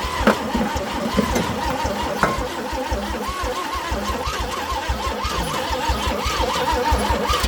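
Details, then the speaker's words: Chevrolet C10 being restarted after the coil was swapped, with starting fluid sprayed in: a steady, even starter whir on a long crank that never catches, and the cables get hot. There is plenty of fuel, and the owner still suspects weak spark. "Yeah, something is not quite what it needs to be. Yeah, it's getting hot on the cables there. That was a long pull."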